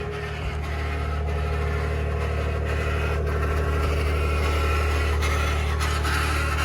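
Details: 2021 Ford F150 PowerBoost at cold start; deep rumble with a rough cavitating/grinding pulse about every half second over the engine; cold start grinding noise, cause unknown.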